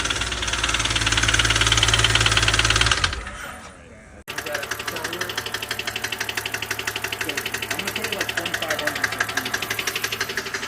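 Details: BMW N52 69k-mile junkyard replacement engine, first start: loud sharp lifter ticking at idle, about three clicks a second, from air in the hydraulic lifters; resolved by holding about 3,000 rpm to bleed them.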